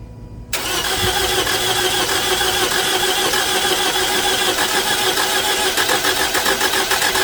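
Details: 2011 Toyota Camry 2AR-FE just after lifter and rocker arm replacement, battery disconnected; cranks fast and light, about three beats a second, not firing; no compression, maybe building on one cylinder; owner suspects lifters or a switch.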